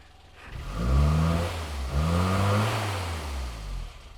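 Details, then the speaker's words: Low-mileage 1984 Austin Mini after Lucas 45D distributor service and SU HS4 carburettor update; foot hard down on throttle, engine revs twice and holds without cutting out, a bit rough and not revving immediately, but mostly healthy. "But that's my foot hard down on the throttle. And you hear it's not perfectly happy. It doesn't want to just rev immediately."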